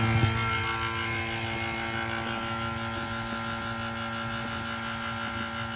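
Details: 1983 Ford F-150 after Sanden compressor upgrade, new condenser, accumulator, hoses and orifice tube, vacuuming before R-134a charge: steady pump drone with even ticking that eases as system pulls down; tight, holding vacuum.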